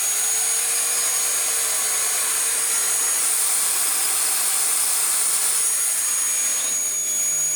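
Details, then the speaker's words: Dyson DC19 T2 Animal turbine brush head, cleaned of hair, run on the bare hose end: a smooth, steady airy whir with no rubbing or grinding. The turbine spins freely and runs normally. "Whoa! Again, this is quite a flipping good head. Like, it should really work."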